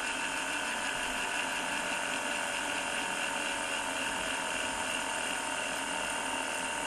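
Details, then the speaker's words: Gem Turbo Trax mono cassette tape copier (16x speed) rewinding: steady high whir slowing as tape builds on the reel, deliberately to avoid breaking tape, no catches or grinding; normal rewind. "Now, it sounds like it's getting slower and slower, because in fact it is. As more tape gets wound onto this reel, this reel will get faster and faster."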